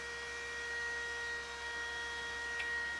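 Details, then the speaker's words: Vintage Macintosh II/IIx computer being restored, just powered on; a steady drone with a few fixed high-pitched tones that never change speed, the cooling fan running loud and noisy; the fan needs replacing. "all right three two one nope Powers oh there it goes oh this fan is awful"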